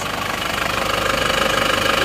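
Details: Isuzu Panther diesel after rebuild (one liner, piston ring set, gaskets, thermostat replaced; previously smoking), warm at idle: steady even clatter, about twenty light pulses a second, no knock or miss; repair successful, no smoke.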